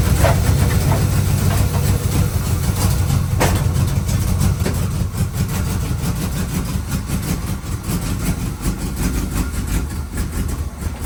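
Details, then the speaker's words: 283 small-block Chevy swapped into a 1985 Oldsmobile Cutlass with new exhaust, freshly started and warming up before timing is set: deep burbly idle that stumbles now and then; a possible weird miss, cause unconfirmed. "f seemed like it didn't want to pick up and all of a sudden it would kind of pick up and then it would come back down and it would bounce all over the place so this car might have a really weird Miss"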